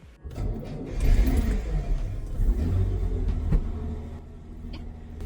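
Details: A 1963 Maserati Sebring 3500 GTI with Lucas fuel injection, retried on a temporary battery fix. It catches after a short crank, revs into a deep, steady rumble and settles back, sounding healthy.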